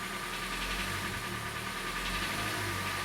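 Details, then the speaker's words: 2013 Hyundai Elantra 1.8 G4NB, about 86,951 on the odometer, at idle: a dull, fast, steady knock. The piston pin, crankshaft or hydraulic lifter were all considered; owner thinks the piston most likely. "на марсе новой палец похож на поршень похож на колин бал тоже похож гидрокомпенсатор может быть всякий может быть скорее всего это паршиво ли клубе слушайте"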